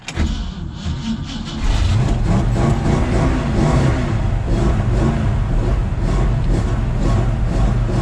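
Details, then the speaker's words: 1965 Mustang after four months of winter storage, air filter off: catches after a brief crank and settles into a steady but fast idle. Idles higher than normal. "Oh she's idled up a little high"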